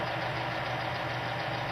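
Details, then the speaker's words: Oil-test rig with oil that squealed at 2 lb, weights just removed; loud, steady harsh grinding roar as the lubricant breaks down and metal chews itself up. "you can hear it not very not it's not doing very well so we're going to let that sort of cly down"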